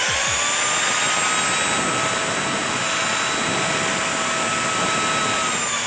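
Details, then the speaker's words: CUMI CPAG 1200W angle grinder after armature repair and carbon brush replacement: steady high even whine, no stutter; earlier slow running, heavy sparking and burning smell resolved. "तो यहां पर देखिए message बिल्कुल सही समय पहले जो slow घूम रहा था इस बार कर था स्मेल आया था वो प्रॉब्लम ऑलरेडी सॉल्व हो चुका है"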